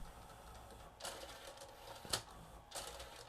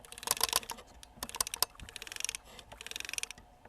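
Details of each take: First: Nakamichi MB-3s 7-disc Music Bank CD changer just after AC power-on, with no discs loaded: quiet whirring and bursts of clicking as it scans the magazine for discs, working normally. The unit skips during playback due to a cracked laser-sled gear. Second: Nakamichi MB-3s CD changer, powered off and opened, microphone set down close by: the laser-sled drive gear is turned by hand, giving sharp dry clicks and pops as its cracked teeth bind and jump. This gear causes the skipping a few seconds into playback.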